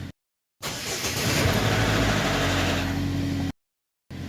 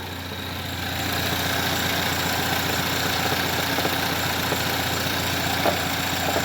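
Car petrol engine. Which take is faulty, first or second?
second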